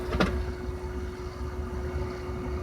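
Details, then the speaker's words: Namco 246 arcade board (Soul Calibur 3) with the DVD drive's IDE data cable removed: a sharp click as the tray shuts, then a thin steady whir as the disc spins up, flashes, then stops; the drive runs but won't read, and no dongle is detected. "it's spin the disc makes a couple flashes you can hear it running and then it just you know flashes a couple times you can hear it spinning and then just stops"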